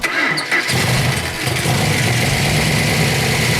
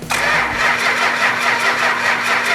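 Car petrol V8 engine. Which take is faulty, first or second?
second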